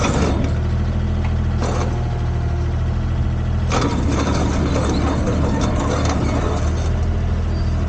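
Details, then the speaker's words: Komatsu PC10-3 mini excavator diesel at low idle: a steady, even low rumble with no knocks or misses; normal, healthy idle. "that's the sound the machine makes it low idle uh just enough to keep the battery charged and not discharging"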